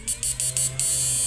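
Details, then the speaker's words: Modified SAMUS 988 Plus ultrasonic inverter with universal PWM driver, lighting a 1000 W load: high steady hiss-buzz over low hum, a few quick pulses then even tone; quiet with strong output, running normally. "Suaranya enggak berisik tapi outpesnya kencang sekali ini, Mas Bro."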